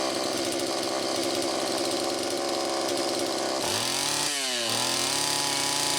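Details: Homelite Super EZ chainsaw test run after carburettor repair, high needle reset from about four turns out to one turn: screams high and ragged, revs sag and climb unevenly; lean, crankshaft seal suspected bad.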